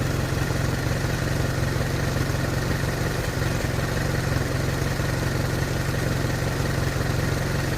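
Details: Hotchkiss M201 petrol engine at idle, owner unsure whether it is normal. Steady low-pitched idle with a loose, slightly uneven beat and no obvious knock.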